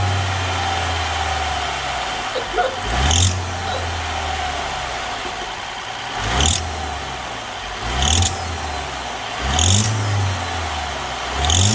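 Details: BMW F20 idling, with each throttle blip giving a brief sharp rattle under acceleration: exhaust manifold loose from a snapped bolt, leaking exhaust gas; dog barking in background; exhaust manifold leak rattle.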